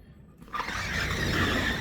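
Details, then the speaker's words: Sliding door with a seized roller wheel: rough scraping rub and thin squeal as it slides and drags on its track; fix planned. "You can hear that one's dragging too. It's got a seized wheel as well, but we'll get those fixed."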